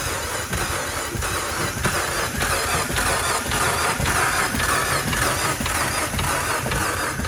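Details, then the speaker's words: 2015 Fiat Abarth that went through a large puddle, with water suspected in the turbo: the starter labors unevenly, turning the engine over with no firing. The mechanic blames the spark plugs. "let's try this test again shall we going Auto crap it don't run I'm blaming the the plugs"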